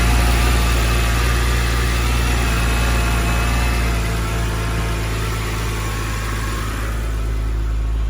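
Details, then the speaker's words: BMW 128i restarted while checking for a new fluid leak: uneven, lumpy idle with a stumble about four times a second; one cylinder misfiring, owner feared something broke. "This [ __ ] sound like a fivecylinder rotary. Bro, I thought I I thought I broke something off in there."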